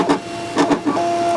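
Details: Brother ScanNCut with a non-OEM blade, cut pressure decreased and blade depth increased: motor whirs in short runs with crackly rustling bursts as the blade drags and rips the paper.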